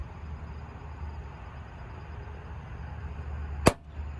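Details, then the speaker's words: Kia Soul door opening with one sharp pop as the door catches on a plastic jamb trim piece held by two screws. "the door is catching on it right here and as I open this it's going to pop"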